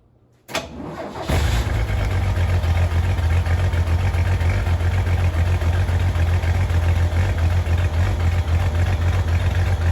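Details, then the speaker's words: 1983 Ford F-150 starting after a full exhaust replacement with a brand-new muffler, only clamped so far and hangers still unfinished: cranks, catches and settles into a deep, steady, even idle with no rattles or leaks; "sounds like a whole different beast", healthy exhaust. "go [Music] sounds like a whole different Beast and"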